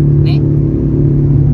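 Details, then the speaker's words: Suzuki Ertiga with cabin rumble from 20–60 km/h, louder above 40 km/h: steady deep droning hum while coasting with engine off, louder than the engine; suspected left wheel bearing. "mati ya tapi suaranya nyaring melebihi dari suara mesin yang kita hidupkan lagi ya Brian kita dengar lagi sepertinya dari bearing roda sebelah kiri nih nanti kita cek Saya rasa ini bearing roda"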